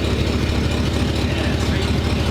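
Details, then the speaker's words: 1947 Ford panel truck flathead after new custom exhaust replacing one dumping by the passenger door: deep, steady low idle rumble with even beat, no puffing or ticking; much quieter, though a small exhaust leak is suspected up front. "give it a little deuce sounds good it's got to be better less obnoxious definitely"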